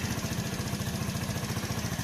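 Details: Old-model kick-start-only Hero Splendor single-cylinder motorcycle after engine rebuild, started in one kick; quick even pulse about nine beats a second, steady with no knocks or rattles; now silent, healthy idle.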